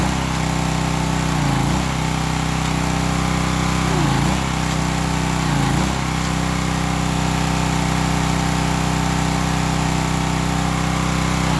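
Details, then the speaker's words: Old Craftsman pressure washer with pump on, water supply connected: small engine holds a steady buzzing run with a brief dip every couple of seconds as the pump loads; pump confirmed working, repair good. "that to me lets me know the pump's working on I'm good positive repair there"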